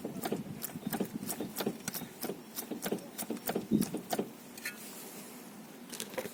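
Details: Skoda Octavia Tour / VW Golf / Bora steering rack (1J1 422 105), worked by hand: sharp hollow knocks about three a second, then a pause; the left-side thrust pusher with foil insert is worn through, the right seal leaks from steering shaft corrosion, and moisture got in through bad boots and clamps.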